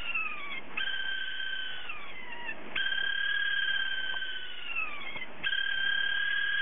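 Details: HDD whose spindle motor bearing has failed so it can no longer spin properly: a high, wavering, meow-like squeal that slides down in pitch and restarts every couple of seconds, like a cat crying.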